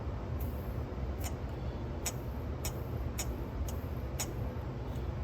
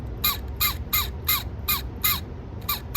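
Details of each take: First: Sony TC-K650ES cassette deck after cleaning and restoration; previously a whining scream from a dry gear shaft needing lubrication, now a low steady motor hum with light mechanism ticks, no squeal in any position. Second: Sony TC-K650ES cassette deck: repeating shrill squeaks, about two and a half a second, in two different tones, louder at faster speed; first blamed on a dry gear, then found to be the motor bearings themselves.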